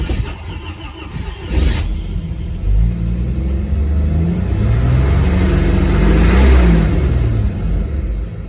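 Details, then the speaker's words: Warm engine after running at operating temperature, thermostat cycling: long low rhythmic starter churning about four turns a second, dragging before it eventually starts; hard hot start, cause not confirmed. "it loads that starter plenty let's try [Music] again but it does start"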